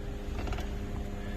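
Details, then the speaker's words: 2004 GMC Envoy XUV convertible power roof after replacement power roof module and relearn: quiet, steady low motor drone with light clatter as the roof travels, one more chime at fully open; roof drive working normally. "once it reaches that fully open position you'll hear one more chime"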